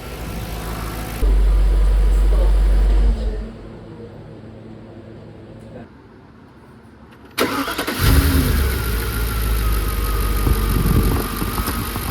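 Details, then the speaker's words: Audi A6 C5 4.2 V8 quattro after intake manifold and chain-tensioner non-return valve repair and refill with oil: cranks, catches and settles into a steady, even idle with no knocks or misses; sounds healthy. "For sure we must the lifters uh was so present because there was absolutely no oil inside. But now it sounds pretty good."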